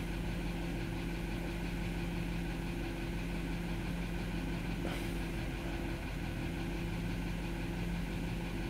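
A petrol SUV engine idles steadily with an even low hum and no misfire stumble.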